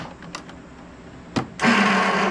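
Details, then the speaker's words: Troy-Bilt Bronco riding tractor, not started in about a year, on a jump pack at about 12.5 V after starter wiring was reconnected: a few clicks, then a harsh high whir for about a second with the engine not turning; starter spinning free with a stuck Bendix drive. "Well, we're definitely getting voltage to the starter now. Oh my gosh, that sounds terrible."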